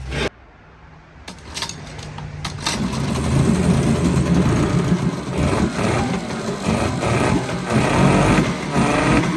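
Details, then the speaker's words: 1981 Mariner 8 hp outboard, which the owner thinks is the same as the Yamaha motor, running in a test barrel; catches after a quiet start and settles into a steady, even buzz with no misses: a great running motor. "Now this is another great running motor. It's one of my newer ones, and I think it's the same thing as the Yamaha motor."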